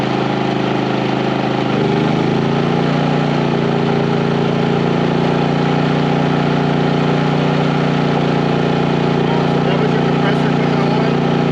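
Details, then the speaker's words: 4500 W generator on a 30 A RV service running 15,000 and 13,500 BTU RV air conditioners with soft starts; steady drone shifts slightly as the compressor comes on, then holds smoothly with no jolt, power to spare. "okay so the question was will a 15 000 and a 13 5 run with this all star rv on both of them on a 30 amp service the answer is yes with power to spare"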